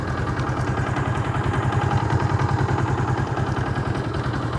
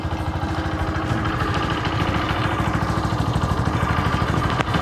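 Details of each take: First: Yamaha Jupiter MX 135 with V-Ixion engine after a major overhaul; steady putter at a deliberately raised idle for stability, no misses or knocks, though some top-end knocking was noted. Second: Yamaha Jupiter MX 135, six years old, just after an engine overhaul with parts replaced: steady idle with a fast, light metallic tick from the top end, about three a second. Noticeable top-end knocking.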